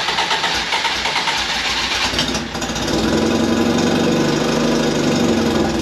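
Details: Fiat X1/9 after clutch replacement, not run for a few days, engine not yet tuned. Catches after a few seconds of cranking, then settles into an uneven, slightly lumpy idle with some rattle; rough running, cause unconfirmed.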